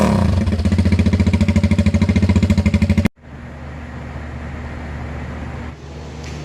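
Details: Venom X22R 250 single-cylinder motorcycle with newly installed 4-degree advanced flywheel key and 50-weight oil: revs in quick even pulses then drops to a steady low idle, pulling cleanly and settling smoothly; normal start and rev, healthy engine.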